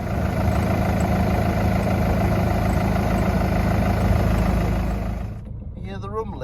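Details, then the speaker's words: 18-year-old Ford Mondeo Ghia X at idle: steady low exhaust rumble with no knocking or rattling after two cable ties replaced stretched, cracked rubber hangers that let the exhaust hang low; normal exhaust. "rumbling Y no rattling so two cable tires have done the job"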